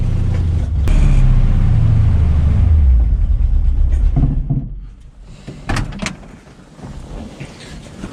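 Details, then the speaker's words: Rebuilt 1965 Mustang just timed, known vacuum issue: low rumble holds about four seconds then sags and dies as it tries to idle; owner wonders if it lacks fuel, not confirmed. "right there it tried to idle a little bit and just died so i don't know if we're not getting enough fuel something's going on"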